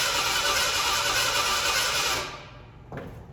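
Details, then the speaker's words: 1987 Ford Bronco II, abandoned 15 years, after a fuel pump change: fast, even starter cranking for a couple of seconds that never catches, with the fuel pump audible. Owner suspects no spark. "I did have it sputter before, but maybe I don't have something electronic here. If we don't have spark."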